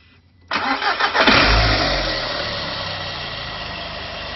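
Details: VW 1.9T first proper run without misfire: cranks and catches at once, revs up, then settles into an even idle with no stumble; clean-running engine.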